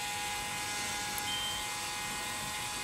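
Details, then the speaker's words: John Deere 5065E tractor refusing to crank, battery tested good at 12.87 V: thin steady electrical buzz with no cranking, from the starter/solenoid area; starter suspected, not confirmed. "so we dropped a little bit and I don't know if you can hear it or not but there's a buzzing taking place over here it sounds like it's coming from starter so I don't know if that's appreciable or not I've not been hearing that buzzing in the past"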